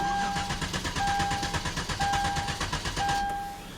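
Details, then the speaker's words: 2011 Hyundai Genesis 3.8L, battery weak and on a charger: even cranking chug for several seconds that never catches; crank-no-start. "as you guys can hear the engine cranks over but it doesn't start so right there"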